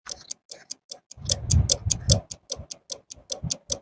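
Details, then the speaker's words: AC voltage stabilizer, input set around 175 V: rapid irregular clicking, two or three a second, stopping when the relay is tapped; output relay contacts shorted/broken, replaced with a 30 A relay; relay chatter. "यदि relay release हो जाता है, तो ध्वनि तुरंत बंद हो जाएगी। अगर रिले रिलीज़ नहीं होता है, तो यह आवाज़ करता रहेगा।"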